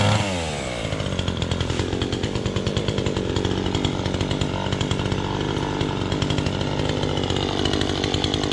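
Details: Chainsaw with a loose chain revs high and steady with a clean, even two-stroke buzz while cutting, no stumbling or bogging; running fine under load.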